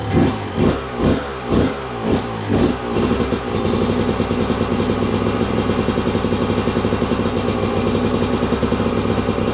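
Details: 2002 Yamaha YZ125 two-stroke that sat a long time, choke on: a few kicks, then fires and settles into a crisp, even run with no knocking or clatter; good compression, runs really good.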